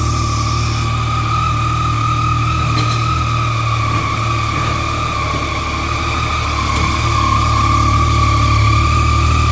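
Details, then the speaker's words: Yamaha MT-09 triple after rebuild, fully stock exhaust, first start in neutral: steady even three-cylinder burble with clean unbroken rhythm, no ticks or knocks; healthy, smooth idle. "the bike's full stock so it's not that loud it's just what it is"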